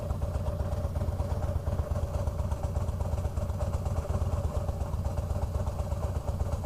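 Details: 2004 Harley-Davidson Fat Boy, about 5,000-6,000 miles; low, lumpy V-twin idle with a faint, irregular rattle and rumble from the bottom end: loose compensator bolt/nut, fixed by torquing to 150 ft-lb with blue Loctite.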